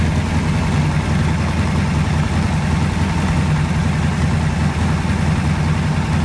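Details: Pontiac 400 V8 in a T37, first start, new rings not yet seated: deep steady idle with even unbroken beat, no ticks or misses; healthy.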